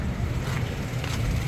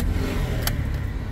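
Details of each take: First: Toyota Wigo after fixing P0203 injector #3 misfire and clearing codes: steady, even low idle hum with no skips or stumbles; running normally on all cylinders. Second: Toyota Wigo with P0203 injector #3 circuit code: lumpy, uneven idle with a heavy low thump and missing beats; cylinder 3 misfiring because its injector wire was cut.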